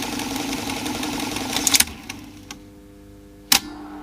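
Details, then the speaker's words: 1960s Grundig Stenorette dictation machine run without its microphone control attachment. Busy transport rattle cuts off abruptly, then near silence and a few clicks as it jams at the end of the tape. The owner suspects a solenoid not releasing. "and then it jams at the end of the tape for a bit until another solenoid releases or something now I've got a jam some away never did that before"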